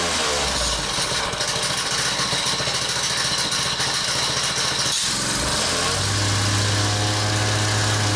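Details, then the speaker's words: Honda-engined wacker plate compactor at tickover, on a cushion: a fast tinny rattle over the beat, gone once the centrifugal clutch is removed; clutch loose on the shaft with a worn woodruff key; also had a badly clogged air filter. "now when the engine was tinking over and this Central Fugal clutch here was attached you could hear a tinkling noise"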